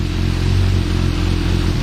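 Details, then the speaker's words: Suzuki Bandit 1250 at tick over then revved just after fitting a new lighter aftermarket exhaust, baffle still in: deep even exhaust note climbing cleanly with no pops or misses, sounds normal. "Okay, well that sounds all right. I think it does."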